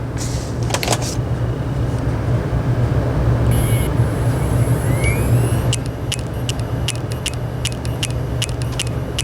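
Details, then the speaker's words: Old hard drive powered on for testing, clicking in the click of death: faint, sharp clicks about four times a second over a loud low furnace rumble; drive is dead. "Now we got the click of death here."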